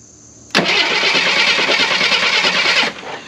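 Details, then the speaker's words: 1979 Jeep CJ7 with two-barrel carb, off the road 30+ years, antifreeze leaking, first attempt to turn over: two-odd seconds of hissy cranking with uneven galloping beat near three per second; rough, irregular turnover. "I mean it doesn't sound terrible she's got a Gallop to her"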